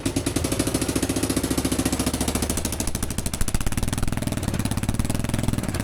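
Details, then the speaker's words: 30-year-old Kawasaki KLF300 4x4 quad bike, engine started straight away after restoration: loud, raspy idle with sharp popping pulses at each firing stroke from a hole in the exhaust pipe; exhaust leak, to be patched. "That sounds really good. Started straight away. She's pretty loud because there's a hole in the exhaust there. So, I'll see if I can patch that up."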